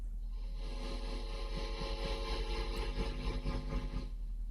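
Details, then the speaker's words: Vacuum tube guitar amp after repair, including replacing a failed resistor: a held note throbs evenly about twice a second, audible at both maximum and minimum intensity. The tremolo oscillator now works, though DC remains on the intensity pot. "you can hear we have quite a strong tremolo that has returned there's some DC on that pot so we need to fix that but you can hear that's maximum intensity that's minimum intensity and you can still hear it [Music] throbbing"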